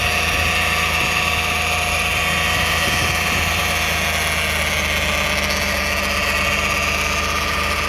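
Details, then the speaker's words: 2009 Toyota Sienna minivan, recorded from underneath at idle: constant buzzy drone persists after flex plate bolts and teeth checked tight; flex plate believed okay, source unknown, suspected transmission torque converter or pump. "The noise is still on. We expect the flex plate is okay, but something wrong."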